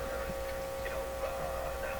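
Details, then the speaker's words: Crosley Mohawk Model 14B tube radio with the volume-control output capacitor cut out and audio routed through a capacitor substitution box: steady, unchanging hum under quiet background noise in the audio output, likely from the temporary capacitor wiring. "so now the only way we're hearing audio is it's going through the capacitor in the box and we picking up a good hum here unfortunately that's not surprising"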